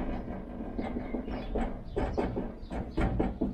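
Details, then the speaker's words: 1973 Triumph Stag driver's door: irregular metallic tapping and rattling as the window regulator spring touches the door metal; adjusting the regulator up moves the spring away. "So by adjusting the regulator up slightly, it's gonna move the spring away from the door. Because there's a rattle there, you hear it?"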